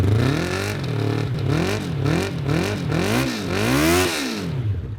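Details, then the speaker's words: Japanese carbureted motorcycle, unstarted for years, fresh high-test fuel, starting fluid in intake, lithium iron phosphate battery: engine catches after cranking and revs up and down in smooth, even swells; normal start and revving. "I found two amazing things. The lithium iron phosphate battery actually started it sitting all those years."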